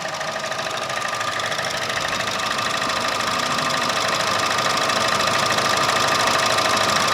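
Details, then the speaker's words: Chevrolet The New Aveo 1.4 sedan, four-cylinder petrol at idle: quick, even light ticking about three times a second from a worn purge solenoid valve, common on this car; otherwise no unusual engine noise. "지금 퍼지 디 솔레드 밸브가 소리가 좀납니다 이거 이차에서 흔히 볼 수 있는 증상인데"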